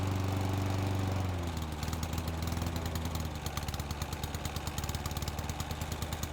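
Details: Old Honda IZY HRG466 lawn mower, unused for 12 months, just started with fuel: it catches and settles into a steady, even beat of about three pulses a second, no misses or knocks. Normal running.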